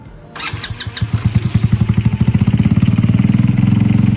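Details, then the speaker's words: Boom Vader motorcycle just fitted with a Nibbi PE 24mm carb on its factory tune, replacing a VM22 Mikuni knockoff. Cold start with the choke out: it fires after a few cranks and settles into a steady, even thumping idle. Normal, runs clean. "That's a cold start. Alright, with the choke out, it's cold, so it's gotta warm up."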